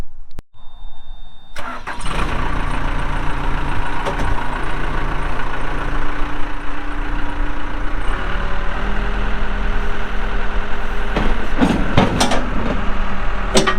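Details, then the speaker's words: 1998 Case 580L Series II backhoe, Cummins diesel, 2,329 hours: brief crank, prompt catch and a steady, even low idle rumble with no knocks or misses; starts and runs good. "Starts up good, runs good, hydraulics are strong, pretty doggone straight."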